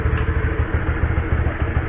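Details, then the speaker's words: Honda CB150R at idle in first gear after an experimental rubber fix to quiet the drive chain, mic placed close: low even engine thrum, no chain slap or rattle heard; quiet, healthy drive. "kalau telinga gua nggak dengar suara apa-apa selain suara mesin. Suara rantai juga kurang nggak apa kali ya, nggak terdengar kali."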